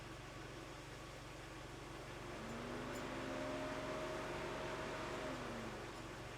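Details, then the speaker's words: 2004 Mazda Tribute 2.3 L, engine warming with the A/C on and the fan commanded on: faint fan hum swells in and fades away, cutting in and out and speeding up and slowing; fan control module suspected. "so I haven't turned it off and yet it's cutting in and out isn't it so most likely it's a module issue"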